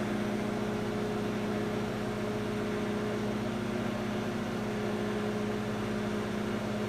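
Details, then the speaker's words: Microwave running about 15 seconds with a glass of water while the house runs on a Generac standby generator; even low electrical hum and steady fan whir, no rattles or buzzing; normal operation. "Okay. Sounds like it's running perfect."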